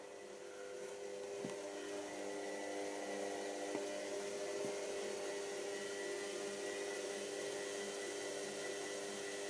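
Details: Washer, now working: steady even motor whir, faint hum, no knocking or grinding; normal running.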